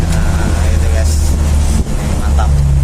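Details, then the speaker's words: Mitsubishi L300 or Isuzu Panther diesel, driven on the road after injection timing adjustment for shaking and low power: deep even drone pulling steadily, no harsh knocking or rattle; smooth, healthy engine under load. "Ya, seperti itu, teman-teman. Lihat, mesinnya halus."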